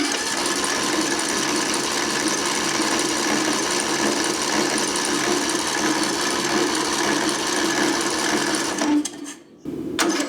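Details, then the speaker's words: Craftsman LT1000 riding mower, sat outside for years, full throttle, auto choke: starter spins engine fast and evenly with no firing; crank no start, fuel blocked. "I think what I'm going to do is go ahead and take this carburetor off and then just stick my fuel in here and bypass that carburetor"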